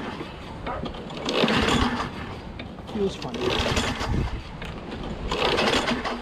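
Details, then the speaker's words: Craftsman 6.5HP Briggs Quantum FWD mower, before repair, primed with gas smell present: several slow recoil pulls a couple of seconds apart, each a brief whir with no firing. Hard to pull with good compression; no start traced to a faulty magneto. "hard to pull feels like it has good compression though"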